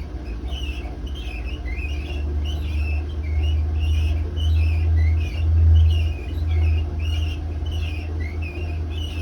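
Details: Hotpoint WMA32 washing machine on final 800 rpm spin with worn drum bearings, before bearing replacement: deep steady rumble swelling and fading, heavy low roar of bad bearings.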